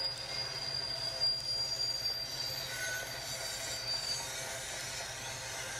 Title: Train Rolls Through Town With Unexpected Screeching Sound